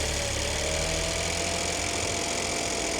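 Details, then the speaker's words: Salvage-auction BMW 218 convertible, long off the road, on a brief restart: uneven petrol idle with a lumpy, stumbling beat that starts to even out as the misfire clears. Engine light is on. "Yes. What? Oh, clearing. Rough again. Is that you revving or not?"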